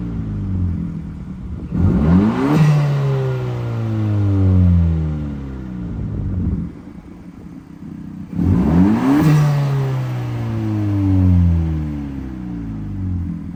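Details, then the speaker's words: Honda Civic Si after muffler delete with chopped exhaust pipes: two quick high revs falling back, loud raspy open-pipe blare with no muffling; straight-through exhaust note. "Alright, so pretty much all I did was did the muffler delete. The muffler delete, we got those chop ass fucking exhaust pipes."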